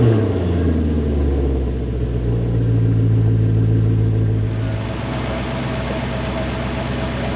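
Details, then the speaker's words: Cheap Maserati Quattroporte V8 after repair, with a deep, even burble revving smoothly, no misfire and very different from before; cam-timing changes still to be checked on a drive. "then I think we've done it that is sounding beautiful and no misfire and you can really listen to that now very very very different to before"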